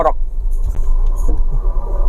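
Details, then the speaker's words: Car rolling slowly under its own power gives a heavy low rumbling drone even at low speed; the cause is a worn differential bearing, not a wheel bearing. "Dia memang cenderung dengung, gemuruh tepat."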